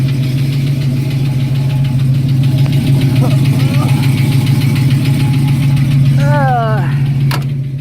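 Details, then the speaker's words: 1972 Ford Mustang Mach 1, 351 (5.8L) V8 with solid lifter cam, Edelbrock intake, Holley carburetor, headers, stainless exhaust: deep steady idle with a light quick tick about three per second. Normal solid-lifter tapping. "It's a solid lifter cam, you can hear it. That little bit of tapping noise is your solid lifter cam."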